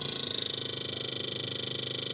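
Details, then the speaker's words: LG Inverter refrigerator cooling poorly: freezer fan runs with loud hissing and fast even ticking flutter (~14 beats/s) as blades strike ice on the evaporator coil, caused by a failed defrost system. "còn đối trường hợp này nó sẽ bị hư bộ sả đá nha mọi người nghe cái tiếng Kêu"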